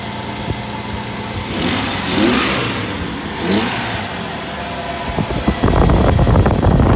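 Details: 1997–2004 Jeep 4.0L inline-six with aftermarket Airaid throttle body intake, started after fitting fuel rail and injector heat-shield kit: some clatter, then cranks and catches cleanly into steady, even rumble; normal start and idle.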